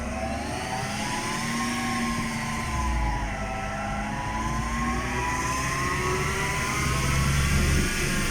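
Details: All-wheel-drive car with manual gearbox, driving: steady droning hum under road noise, pitch drifting with road speed; failed wheel hub bearing.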